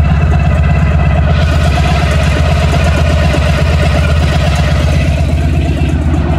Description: I was changing the engine oil on my motorcycle when I realized there's a rattling noise coming from up front near the engine.